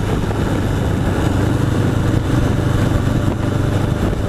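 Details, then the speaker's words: 1981 Honda CB750 Custom on the road after its carburetors were sorted out. Steady, even engine note under way with no misses or stumbles over light wind rush. It has pep now and runs and sounds really good. "work the way they're supposed to. I mean, she has some pep now. She runs good. She runs really good. And sounds good too."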